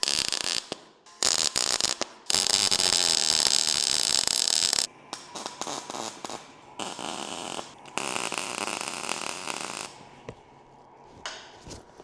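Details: MIG welder on thin mild steel: crisp, even frying crackle in short bursts with no harsh popping or sputter; wire speed and voltage sound right, a normal weld.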